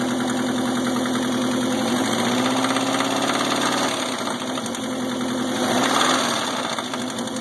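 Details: Subaru EA81 engine that runs smoothly without missing, oil pressure good per gauge: steady idle with a loose, uneven knock about three or four per second riding over it; source of the knock unidentified.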